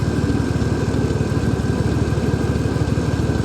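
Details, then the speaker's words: 1991 Mercury Cougar after BlueDevil head gasket sealer treatment: uneven lumpy idle with irregular low thump about three per second, misfiring on one or more cylinders; head gasket possibly too far gone, unconfirmed. "if it's running better because obviously she's got a misfire or two or three it's hard to say this could be a head gasket that is so far gone that blue devil can't fix it"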